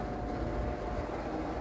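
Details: Vintage Sears Homart belt-drive window fan, 1/6 HP Craftsman motor, belt probably due for replacement, started from low: low steady rumble with even whoosh of air, no squeal or knocking; runs smoothly on low.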